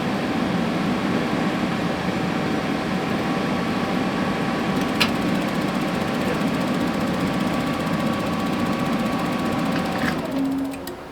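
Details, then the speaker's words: Dometic RV furnace on the bench after reassembly, gas line not yet connected: steady blower hum with faint whine and a couple of sharp igniter ticks; blower runs clean and rub-free. "Okay, it was trying to ignite, so let me get my gas line hooked up."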